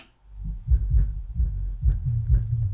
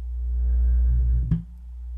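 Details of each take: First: Miller & Kreisel MX-125II subwoofer, 24+ years old, with a complaint of loud thumping, after capacitor replacement and cleaning of the controls: deep, clean bass with no crackle or buzz. Normal bass output. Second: Miller and Kreisel MX-125II subwoofer, 24+ years old, powered on with no audio input: deep low-frequency rumble and a sharp thump as the cone moves in and out. Owner suspects a DC offset; loud thumping was the customer's complaint, sub later restored to working order.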